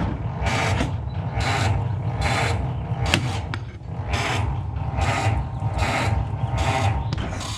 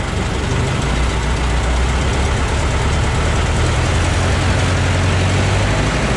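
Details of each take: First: Ford Model T cold start on the electric starter with choke and throttle set: laboured cranking about one and a half slow turns a second, never catching; starter always cranks slowly even with a charged battery. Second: Ford Model T four-cylinder idling after cold start, with new muffler fitted and front exhaust leaks thought to be sealed: low, steady idle, even muted exhaust note, no rattles or puffing leaks; much quieter, healthy.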